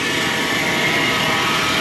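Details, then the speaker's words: 1995 Chevrolet Silverado 1500 4x4, engine running: harsh, steady hiss with a high whirring edge from the AC compressor pulley area, owner suspects it is running dry and needs lubrication; AC compressor noise, cause not confirmed. "C'est plutôt la poulie du C'est là que le bruit provient, c'est le compresseur. Donc euh ouais, il a peut-être il a certainement besoin de lubrification."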